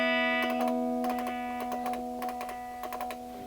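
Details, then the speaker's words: Old Squier Stratocaster after DeoxIT contact cleaner sprayed into pickup selector switch: notes ring cleanly through amp, scratchiness gone; guitar still has a loose output jack. "yeah all that scratchiness is gone but this one has more problems than that"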